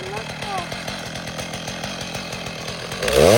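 Small two-stroke idles with a quick, steady popping, then revs up cleanly near the end; the saw runs healthy.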